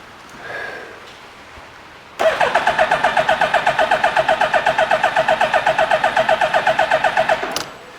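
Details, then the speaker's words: 2000 Suzuki Hayabusa with a possibly newer (about 2002) engine and brand-new plugs; fuel pressure reaches 42 psi then drops off: quick, even starter chugging about four per second for five seconds, never catches; cranks, no start, clogged injectors suspected. "well you see it makes 42 PSI shuts fuel pump off drops right back down so now I guess my next step is to figure out why is it not starting now"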